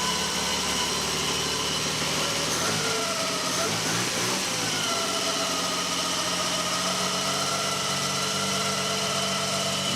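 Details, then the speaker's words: 1979 BMW E12 520 barn find after 30 years, fuel pump and tank reconnected, airbox off: steady even idle with faint high whine, likely intake noise without airbox; runs cleanly, smoke subsiding. "this thing does sound sweet you can probably hear like a high pitch wine I think that's just it's hard because there's no I think it's just because there's no airbox on there basically"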